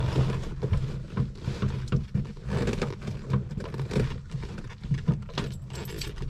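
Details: 1972 VW Beetle cranking in April: uneven low chugging of starter turning the engine over with no firing at all; flooded, won't start.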